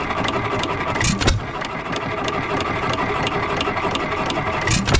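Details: 3 hp Economy Model 3G hit-and-miss engine, possibly 1923, auction-bought, first run after priming: light valve-gear clicking about three times a second with a solid firing bang every few seconds, smoking a little, no rod knock heard; normal running.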